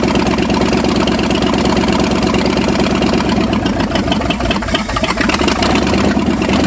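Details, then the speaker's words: 1965 Ford F250 V8 first start after 26 years parked, carb fuelled, throttle worked by hand: cold, uneven loping idle stumbling midway then settling; believed just lean because cold, rough cold idle. "I want to work the throttle do this for now yeah no it's just lean it's cold"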